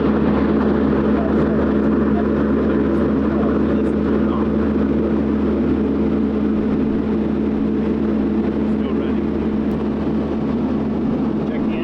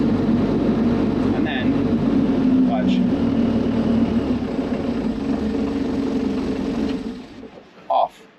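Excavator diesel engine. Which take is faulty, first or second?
first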